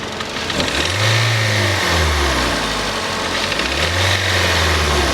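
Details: Kia Soul knocking engine after Engine Restore and roughly 10 miles of driving: two smooth throttle blips with only a light knock, hard to pick out under the revs; knock much quieter but engine knock still suspected.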